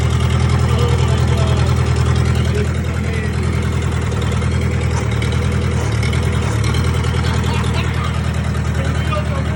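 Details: 1998 Gehl skid steer, 4-cylinder Kubota diesel, first start after fuel pump rebuild, line bleeding and glow plug use, following a no-start: steady, even low clatter at idle with no misses or knocks. Normal idle.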